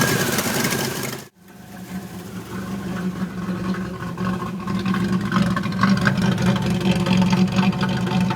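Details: 1991 Pontiac Firebird V6 that now starts but still sets codes 33 and 43: cranks, catches and settles into an uneven, loping idle with irregular stumbles; rough idle, cause not yet found.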